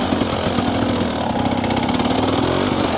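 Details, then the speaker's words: TBI two-stroke dirt bike at low revs, riding slowly through technical trail, runs rough and stumbling with burbling stutter from rich low-end fueling; before ECU remap with TSP ERM tuner, fine in third gear and up. "that stuttering now we're in the winter and I'm riding slower and more technical stuff there it is again it's driving me crazy"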